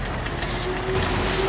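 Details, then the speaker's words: A hand-spun rear wheel, suspected after a test drive of a bad rear bearing, makes only a faint whisper of the brake shoe touching the drum, with no gravelly rotating noise, so the bearing sounds fine. "you can't hear anything that sounds like a rotating gravelly noise like that there's nothing to say that there's anything wrong with this wheel"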